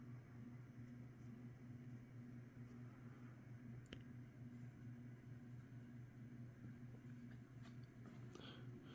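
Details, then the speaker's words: 1980s Saff Enterprise Flush Polo 52" ceiling fan; this one has better bearings, so it is quieter, with a slight noise and a faint low drone with no grinding. Running normally. "this one also has better bearings in it too not as loud make a slight noise but but yeah runs pretty well pretty good"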